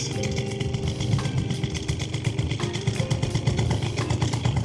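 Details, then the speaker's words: Warm Piaggio Typhoon scooter carburettor with the air mixture screw 2 full turns out: throttle blips stumble with a boom-boom instead of revving clean; lean bog from too much air. "Already that was a bog. Did you hear it? She's not revving up clean. Boom, boom. She's bogging."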